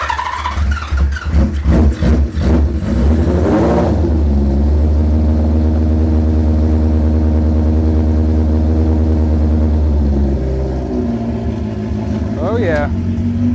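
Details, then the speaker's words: Four-cylinder motorcycle started for the first time, number 2 bowl leaking, idle set around 1300 rpm: catches, blips cleanly, settles to a steady idle without stumbling; owner hears maybe a slight miss, thinks carbs won't need syncing. "damn, I can't ask for much more than that. I don't even think I'm gonna have to sink these carbs."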